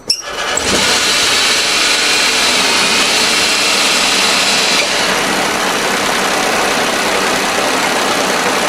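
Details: 2012 Smart ForTwo, about 92,000 miles, started after sitting roughly 7 months; engine catches and settles into an even, steady run with a smooth hiss on top and no rattle or chirp left.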